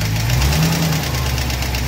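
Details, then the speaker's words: Studebaker Avanti engine, warm at idle: light, quick, regular ticking keeping time with the engine, traced to cylinder one valve with excess lash (26 feeler gauge slides loosely); valves to be adjusted cold. "so the engine's got a little bit of a tick to it and i think it's coming from this area so i'm going to let it cool down overnight and i'm going to adjust the valves in the morning"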